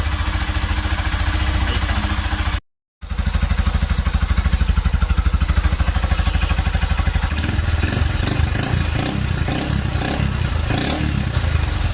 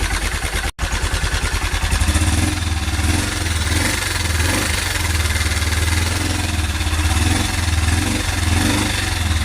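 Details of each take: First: Honda Cargo CG150, rebuilt a month earlier (cylinder, piston, camshaft, valves, timing chain), after the loose timing-disc screw was fixed and the chain, sensor and rocker arms were adjusted; guides not replaced. Steady, even single-cylinder idle with no tapping; the earlier noise is gone. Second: Honda Cargo 150 (CG150) single, warmed up at idle, a month after new cylinder, piston, camshaft, valves, timing chain: steady tapping knock over low rumble, like timing chain or guides; loose cam sprocket bolt, sprocket running crooked, guide possibly worn.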